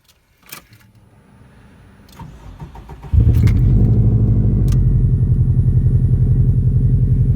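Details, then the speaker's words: 2004 Subaru WRX with Garrett GTX3576R turbo, cold start: after a few seconds cranking it fires and holds a fast, even, pulsing high idle with no misses; rpm expected to drop once out of closed loop. Normal cold start. "it does numbers look kind of normal almost yeah they're getting back to normal that rpm will shoot back down yeah once it gets out of closed-loop"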